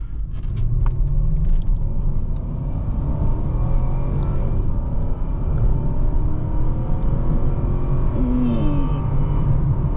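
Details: 2005 Lexus LS430 with 3UZ-FE V8 and six-speed automatic, on a test drive accelerating: deep, steady engine rumble rising with road speed and a smooth intake roar, no knocks; normal intake noise.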